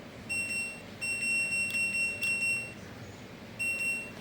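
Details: LG F1014NTGW front-loading touchscreen washer after display module repair (was intermittently erroring and hard to start, touch keys unresponsive): crisp high beeps with each key press, no dropouts; touch keys now respond normally, though the rotary knob still doesn't work.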